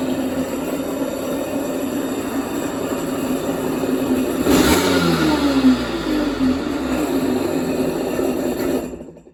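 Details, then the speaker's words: Kawasaki 650 SX stand-up jet ski after side pad install: engine fires and runs steadily, revved briefly up and down, even firing with no knocks or rattles; sounds healthy, normal running. "So sounds pretty good."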